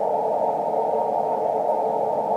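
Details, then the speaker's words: Amateur HF receiver at 18 MHz on the SSB filter: a steady hiss with no signals breaking through. Human-made noise near S9 gives a high noise floor swamping the band. "go to the SSB filter it's still pretty rotten noise level here can't hear a bloody thing"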